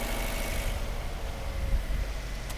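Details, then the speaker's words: 2012 Fiat 500 with codes P0202/P0302 and a dead miss, new injectors fitted by another shop. An uneven, lumpy idle with a stumble in the rhythm; the cylinder 2 injector, fuse and harness test good, but there is no injector command signal. "today we are working on a 2012 fiat 500 and the customer's complaint is a misfire it is a dead miss"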